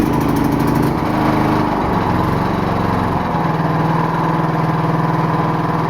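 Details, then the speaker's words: Riding lawnmower with Briggs & Stratton 22 hp V-twin, driving slowly in fifth gear before fuel line repair of a bad leak: loud but steady, even putter with no misses or knocks; runs fine and idles low. "all right it's not what i would call fast but it can idle pretty low"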